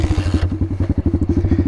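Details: Dirt bike just fired up in neutral: settles into a quick, even thump around sixteen beats a second, no clatter or misses; healthy idle.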